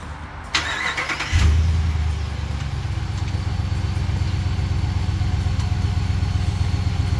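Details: 2013-2023 RAM 1500 just after installing a Jet Performance Stage 1 Dynamic Spectrum tuning module on the ECU: engine cranks briefly, catches and settles into a steady, even low idle with no knocks or misses, no warning lights; healthy.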